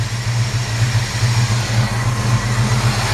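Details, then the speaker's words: 1955 Chevrolet Handyman Wagon, warm at 160 (likely 160 thermostat), good oil pressure, no smoke: steady, even low V8 burble at idle with no knocks, ticks or misses; clean-running engine. "It's a good running little car. Nice clean sounding engine."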